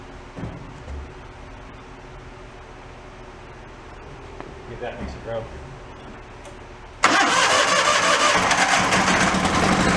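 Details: John Deere 318 garden tractor, hard starting: quiet fumbling, then the engine suddenly catches and roars on starting fluid, so spark is fine and fuel supply is the problem; weak fuel pump pulse suspected.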